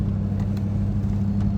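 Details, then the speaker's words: Land Rover Discovery 2 on its first drive in 3 years after curing a dead-cylinder-one misfire: a steady, low, even drone under road rumble with no knocks or ticks; running well. "I don't want to go too far from the house, but so far it's running good."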